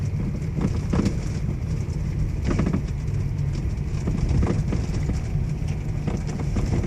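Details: Toyota Alphard V3.5: irregular hollow knocks roughly one every second over low road rumble; steering knocking noise problem, a knock somewhere in the steering.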